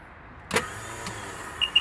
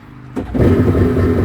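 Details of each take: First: 2003 Sea-Doo GTX 4-TEC jet ski, 600 hours, 130 psi compression: sharp click on start, then only beeps, no cranking; owner suspects failing Bendix gear or starter not spinning fast enough to engage. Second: Yamaha two-stroke jet ski: fires almost instantly and picks up into a smooth, buzzy two-stroke run with no misses or knocks; healthy, runs great.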